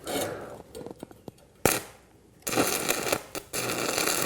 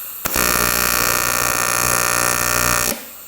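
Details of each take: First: Arccaptain 200A AC/DC TIG welder stick welding 3/32 7018 rod at the same setting as 1/8 inch 6010, on a poorly fitted cable plow part; after false starts, steady even crackle and frying hiss, runs well. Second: AC TIG welding aluminium in square wave at 120 A on 110 V with 4943 filler; steady coarse buzz from the arc, lower and rougher than usual, sounding like about 60 Hz AC frequency (usually 120–240 used), puddles fine.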